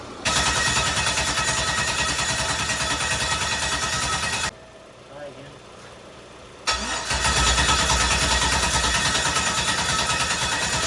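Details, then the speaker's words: LS-swapped Mazda RX-7, day two of no-start: cranking catches and runs roughly a few seconds, stops, then fires again on carb cleaner sprayed into the throttle; injectors appear not to fire; owners suspect missing pedal or mass airflow sensor. "It started hitting. Yeah. But thinking we're not getting power to the injectors."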